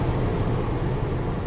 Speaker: it's definitely misfiring she's got a misfire